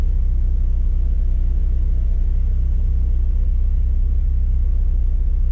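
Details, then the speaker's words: Mazdaspeed3 right after spark plug replacement, plugs torqued to 20 Nm: starts right up into a steady, even, smooth low idle with no misses or ticks until shut off; normal. "you can see it started right up and idle is nice and smooth so that's how you can know that everything was done properly"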